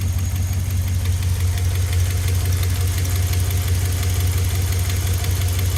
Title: 5.7l hemi 4th gen ram ticking noise hot start